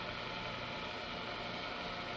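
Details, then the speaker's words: Ball bearing on a noise test machine, uniform thrust load, spindle at 1800 RPM, inner ring and balls rotating, outer ring stationary with vibration pickup: faint steady hum and soft hiss, no rumble or grinding; quiet, healthy. "A uniform thrust load is placed on the bearing, and the spindle rotated at 1800 RPM. The inner ring and balls rotate while the outer ring is held stationary."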